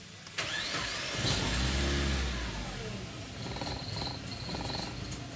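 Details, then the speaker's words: 2008 Suzuki Grand Nomade, J20A engine: it cranks and catches, then the idle hunts and wavers instead of settling. Small detonations are audible and it sometimes stalls; an unstable idle, typical of an intake vacuum leak. "pueden observar en las rpm está inestable si te inestable el mínimo por ratos y acelera el vehículo por rato se apaga"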